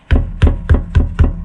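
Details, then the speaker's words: 2019 VW Tiguan 1.4 petrol, AWD, DSG, one year owned: five sharp hollow clunks about three per second, disc brake pads knocking in caliper, strong over bumps; owner heard special double-sided-tape-like shims may cure it. "стучат. И на кочках этот стук очень сильно проявляется. Так как в детстве медведь мне уши полностью не отдавил, то этот звук меня раздражает."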